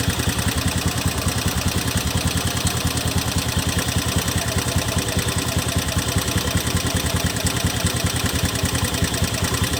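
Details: Honda Beat FI 2017 scooter at idle after CVT cleaning: coarse, uneven chuffing pulse about twice a second that never smooths out; still sounds rough, cause unclear.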